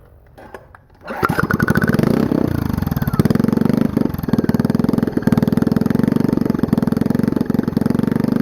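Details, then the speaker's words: Small generator engine that sat for years, running with the air filter on, the muffler off and only a rusted header pipe: lumpy, uneven idle with irregular beats; choke suspected but the cause is unclear. "so even with this air filter on it still has trouble idling i think it has to do with the fact that this choke i don't know so something weird going on"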